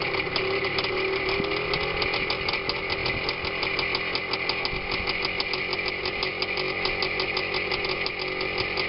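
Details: Minsk two-stroke motorcycle after K62S carburetor float adjustment, clutch ratchet replacement and a washer added so the kickstarter sector no longer catches the clutch sprocket; fast, even crackle at steady idle, no dragging or scraping: normal idle.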